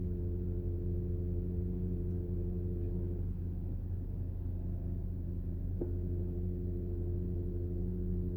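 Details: Porsche PDCC radial-piston tandem hydraulic pump (Cayenne, Panamera, 911 etc.): steady low hum with faint constant-pitch whine; normal roll-control pump noise, nothing broken, just the nature of the pump.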